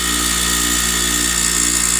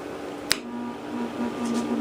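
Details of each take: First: Grinder with a newly fitted wire wheel, just switched on: steady high whine with fine hissy scratching as loose wire bristles hit the guard. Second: Bench grinder after guard bent away from the wheel for clearance: even, steady motor whir rising smoothly to speed, no rubbing or scraping; normal running.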